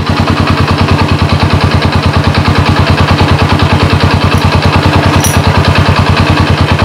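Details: Honda Supra motorcycle converted to LPG, with throttle-supply line tested: even, regular firing pulses about three per second with steady beat; small single running a clean normal idle.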